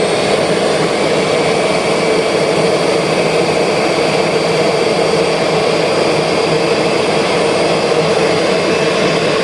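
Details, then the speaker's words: 2001 Kirby G6 vacuum cleaner after refurbishment with new bearings and upgraded transmission, brushes seated: steady, even high-pitched motor whir, no crackle or surging, sparking nearly gone; normal smooth motor run. "Oh, I hate to say it, but that's smoother. So, yeah, that's nice. Okay, we are in really good shape now."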